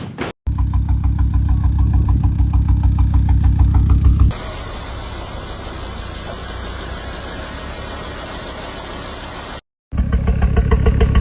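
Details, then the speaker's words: Ford Focus XR5 Turbo at idle with a misfire that began with spluttering on a drive: lumpy idle stumbling about three times a second; later fixed with new coil packs and Bosch RS spark plugs. "So, you've just seen my car and the others misfiring."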